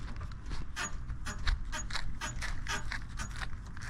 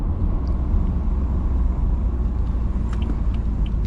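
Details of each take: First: 2012 BMW F30 335i (Stage 2+ MHD, Stage 3 XHP): sharp rubbery suspension squeaks repeating with each hand push on the body, several per second; far louder while driving over bumps or uneven road. Dry or worn bushing suspected, not confirmed. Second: 2012 BMW F30 335i (Stage 2+ MHD, Stage 3 XHP) driving over bumps after a cheap fix for the squeaky suspension: only low even road rumble, no squeak or creak. Bushing still needs replacing eventually.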